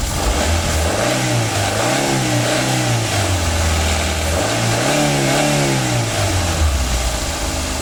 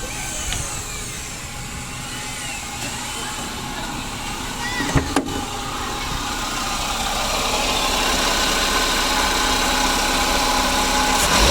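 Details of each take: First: 2009 Daihatsu Gran Max: two clean rev blips rise and fall over an even idle with no whine, squeal or rattle from the belt side; sounds healthy. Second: 2009 Daihatsu Gran Max at idle, owner complaint of humming: steady droning bearing hum over the running engine, pointing to a worn idler pulley bearing.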